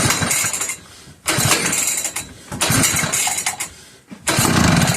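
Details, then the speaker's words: McCulloch 1-52 chainsaw, bar clamped in vise, spark confirmed, fuel just added: repeated one-second pull-start bursts with ragged popping that catches briefly then dies; engine sputtering, trying but failing to start. "She's trying. Come on, girl."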